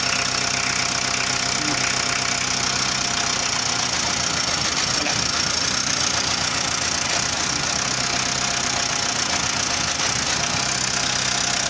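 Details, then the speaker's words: Renault Kangoo engine idling with an uneven, faltering beat; oscilloscope on the injection advance valve shows the misfire occurs when the advance control pulses cut out. "Cuando falla el motor es porque se cortan los pulsos del avance."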